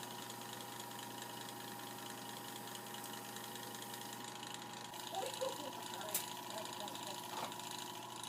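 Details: Mini sanding machine that would not spin and only buzzed, after the run capacitor is replaced: even, steady motor whir with constant pitch and no stalling hum; the sander spins freely, normal running.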